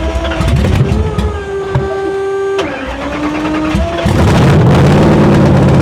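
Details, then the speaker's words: 800hp V8 in a 1931 Ford Model A, started in the shop after ignition on and fuel pumps one and two: the starter whirs about four seconds, then the engine catches into a strong, even, deep idle with no misses; normal start and idle. "yeah that's still sick sounds sick Fu all right now it definitely runs"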